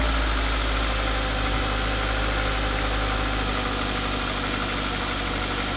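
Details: Ford Focus bought cheap, running after holding a broken pigtail wire by hand, exhaust broken: steady, even idle with a constant low drone and no misfire or stumble; normal idle.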